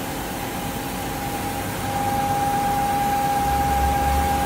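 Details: Fiat Argos engine, regular running: steady loud high whistle at idle that stops when oil filler cap is opened and returns when closed; PCV valve diaphragm leaking vacuum.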